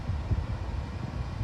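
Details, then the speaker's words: Bosch Series 8 oven, about a month old, pyrolytic self-clean cycle, door locked, about 1 hour 13 minutes in: powerful cooling fan newly activated, steady low whooshing hum with no rattle or scrape; runs normally. "So it's been 15 minutes now, and for the first time ever, an extremely powerful fan is now activated. And you can really feel it."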